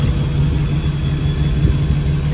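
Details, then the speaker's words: Rock crawler with fuel pressure measured at 40 psi starts hard and runs rough right after startup, with an uneven, lumpy rumble and a raw-fuel smell suggesting fuel in the cylinder. It cleans up after a minute; the cause is suspected, not confirmed. "it smells like straight fuel like there's fuel in the cylinder so I'm almost wondering if I have to do a second you can see now cleaned up it only does this on Startup after it does that it acts fine"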